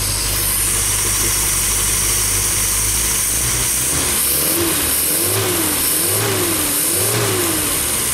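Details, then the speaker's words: Freshly tuned MG engine, after replacing a damaged old part: quiet steady idle, then three smooth even throttle blips with no knocks or rattles, cam audible and a little throat to it; normal revving. "I am so glad that little motor sounds all that you can hear the cam and now it's getting a little throat to it"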